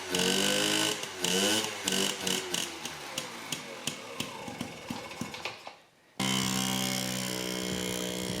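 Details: Yamaha QT50 moped (possibly 78 or 80) after charge coil replacement: a few sputtering pops on the kick, then it catches and holds an even, buzzy two-stroke note; fired right up, running normally.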